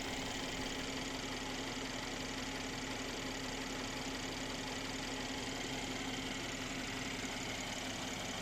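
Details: Mercedes-AMG C43 engine at start-up and idle: a smooth, even idle with a steady low hum and no loud rattle or ticking on starting or at idle; normal idle.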